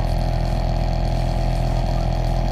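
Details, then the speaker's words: Original blower motor in a 2002 Camaro, about 24 years old, A/C running, before replacement: loud steady droning hum with constant whirring and some motor whine. The fan housing is suspected to be full of debris, and the motor is suspected near end of life. "it's making a pretty good little racket. So turn that back off."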